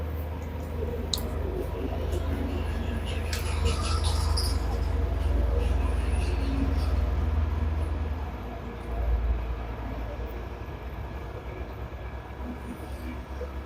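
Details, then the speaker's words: Samsung dishwasher after repair for HC heating error code, test 30-minute cycle with water and power connected: steady low hum from wash pump motor with water moving, no grinding or rattles; circulating normally. "it's a pump is the wash motor is working you can hear the noise pressure"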